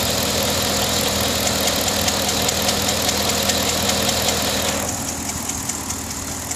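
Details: 2009 Pontiac G8 GT V8 at idle with light even fast ticking, about two or three a second; owner suspects the notorious G8 lifter tick, unconfirmed.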